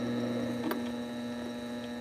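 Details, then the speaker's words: Sailrite LSZ-1 sewing machine after upgrade to a new, not-yet-broken-in WorkerB motor: low steady hum with faint grunting at its slowest setting, needle barely moving, one stitch at a time; normal controlled slow running. "But I could just slow it down slower than that. And then if you look at the needle's hardly moving."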